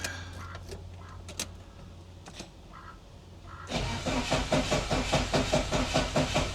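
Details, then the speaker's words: 1988 Saab 900 Turbo, not started in months, fuel pump relay jumpered: clicks, then steady cranking about 2.5 turns a second that never catches; weakening spark, fuel present, crank no start from a faulty Hall sensor. "It's getting weaker and weaker, but we are getting spark. And I know we have fuel."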